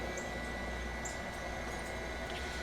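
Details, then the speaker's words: JVR chamber vacuum sealer pulling vacuum: even, steady hum with a soft airy whir and faint fixed tone, no knocks or rattles; pump running normally. "I'm just going to go ahead and run the pump just so you guys can hear how it sounds and see how it works in action, and that way we can compare maybe the difference in the sound."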